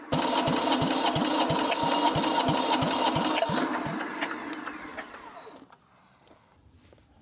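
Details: Diesel compactor engine that sat a couple of years, cranked after fuel was confirmed flowing from the tank: steady cranking at about three compressions a second, never catching; crank no start.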